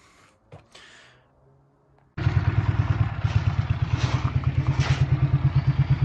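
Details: Honda CM motorcycle on a cold day, started after wrapping the exhaust headers: catches and settles into a lumpy, uneven putt of about three beats a second instead of a clean idle; rough running, cause not confirmed.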